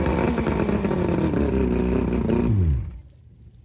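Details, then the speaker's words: Boat outboard on flush ears after rebuilt lower-leg seals and a replaced water pump, jump-started from a truck: revs up strong and even, works in both gears, then winds down and shuts off cleanly, no knocking or grinding, water pumping, healthy. "all righty so as you saw there it was running rived up went into gear in both spots and there was water coming out of here which means the water is getting pumped up up there"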